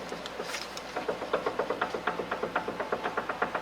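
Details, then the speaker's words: 2011–2019 Hyundai Sonata, engine off, sway bar pulled down by hand from underneath: sharp, evenly spaced clunks about three a second from play in the worn left-front sway bar end link. "hear that that play is coming from one of these joints on this sway bar end link"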